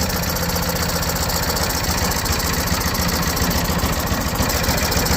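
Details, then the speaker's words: Old generator dumped outside for 10 years, started in cold windy weather: small single-cylinder chugs at a slightly ragged but continuous pace with choke not fully open; it runs again. "yeah you can hear it it's running but I got cut it off"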